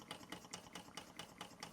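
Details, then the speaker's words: Bing 10/110 poppet valve toy steam engine on original spirit burners, now at 1 bar, maintenance run: quick, even ticking about five beats a second with steady light hiss; running sweetly, no leaks, like a Swiss watch. "Original burners going in now. Engine running like a Swiss watch. Beautiful."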